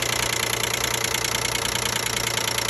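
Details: 2012 Nissan Maxima 3.5 L at idle: fast, steady, light ticking rattle over an even idle, loudest near the intake; owner suspects an intake bracket, and the noise dropped once it was removed.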